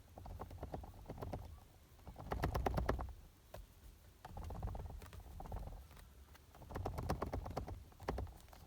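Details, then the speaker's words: Renault Megane 3 / Fluence front seat headrest rocked by hand: bursts of sharp plastic clicks, the rattle heard by the ear while driving; headrest clicking rattle. "kulağınızın dibinde tıkırdayan bir şey yol boyunca sizinle beraber geliyor ve buna bir çözüm bulmak gerekiyor kafalı salladığımda bahsettiğim sesi duyacaksınız"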